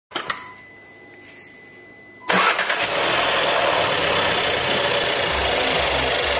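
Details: Seat Leon TSI 140, warm engine at idle: steady hissing, rattly whirr that persists with no throttle; abnormal noise, cause not identified.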